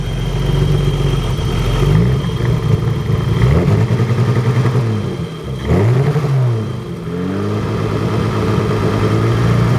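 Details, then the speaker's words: BMW E30 with hard-starting/flooding issue: revs hunt up and down in stuttering waves, loping as if it had a cam, instead of holding steady; unstable surging idle, cause unknown to the owner. "So if anybody knows what would cause that, it's like it's stuttering, like up, and like it's got a now it's loping. Sounds like it's got a cam in it."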